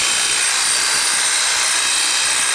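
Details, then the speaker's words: Black and Decker 8100 hedge trimmer after dismantling, cleaning, lubricating, reassembly and oiling the blade: steady high-pitched cutter buzz with no rattle or grinding, quieter than before; normal running. "good. It actually sounds quieter than it did before. Nice."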